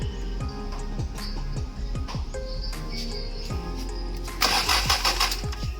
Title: Cranking But No Start Problem! Ano kaya naging problem?